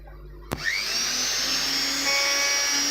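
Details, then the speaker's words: Kitchen mixer after armature replacement and new carbon brushes, run on parallel supply; steady high motor whine spinning up quickly at even pitch, no crackle or sputter, the earlier sparking now gone; normal motor run. "आपण स्टार्टिंगला पाहिलेलं होतं की mixer spark होत होता. आता तुम्ही बघू शकता स्पार्क होत नाही."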